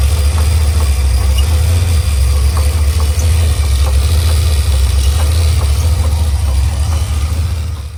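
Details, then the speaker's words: 1986 Chevy Caprice Brougham just out of the transmission shop: rough idle with faint irregular tapping about twice a second over heavy low rumble; lifters checked and sound fine, owner suspects the starter. "oh that's ugly and it's listen to that knock knows you hear that knock nose"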